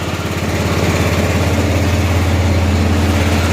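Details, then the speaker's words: 1988 Club Car golf cart, 8.5 hp Kawasaki engine, barn find: governor disconnected, idle raised, idle mixture screw backed out considerably, in gear, warming up before carburetor adjustment; even steady idle around three and a half firing pulses per second, smooth and unbroken. "it's running good see we can adjust the carburetor a little bit starting to warm up"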